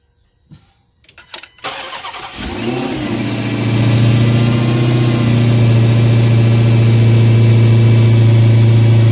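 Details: Dodge Hellcat V8 after swapping the stock air filter for a K&N drop-in: the starter cranks, the engine fires and holds a strong steady idle with a faint high supercharger whine over the deep rumble. Normal supercharger whine.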